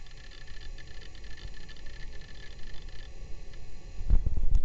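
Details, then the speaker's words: Toshiba Portege 610CT laptop booting Windows 95 on battery: a faint, steady high whine with soft seek chatter from the mechanical hard drive, then a few handling knocks. The drive is spinning normally. "You can hear that mechanical hard drive spinning away, trying to boot up the system."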